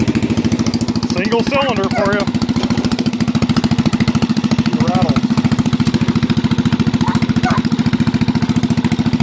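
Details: Bolens lawn tractor single-cylinder engine, muffler removed temporarily during exhaust replacement: loud, sharp, rapid popping bark at steady idle, with nothing softening it.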